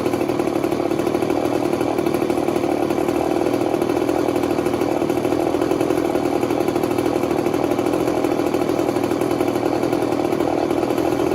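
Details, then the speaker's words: 1980s Mastercraft (Poulan) two-stroke chainsaw: steady, buzzy high idle with an even crackle and no stumbles, though it spits some fuel; seems to run fine. "I don't know it sounds like it runs nice"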